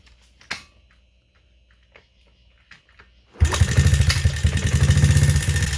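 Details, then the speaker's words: Honda CRF50/XR50 small single after valve adjustment, previously set too tight: starts and runs better, but quick, busy metallic ticking rides over the exhaust beat; valve clatter from loose clearances. "I mean, the valves sound horrible, but the bike's running better. So, I mean, you gotta pick and choose, you know. That sounds god awful, dude."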